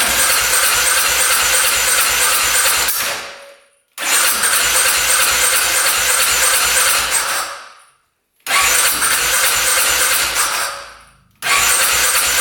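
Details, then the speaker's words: 2010 Polaris Sportsman 550 EFI ATV, not run for years, after cutting a clogged case breather line: long bursts of fast even starter cranking, about three a second, almost firing but not starting. "That was the closest we got so far. That almost fired up."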